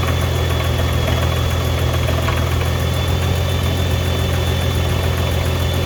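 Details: 2015 Nissan GTR R35 idling with a loose, uneven rattle and occasional dull clunks felt through the seat; owner unsure whether gearbox, clutch or exhaust is the cause.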